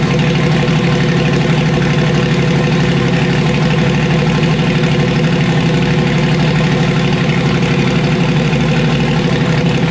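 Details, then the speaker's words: Car converted from Procharger to turbo, being tuned: loud uneven idle with rapid irregular low chuffing like a misfire; owner suspects two burnt Holley coil packs. "all right well it sounds like maybe I toasted two full packs"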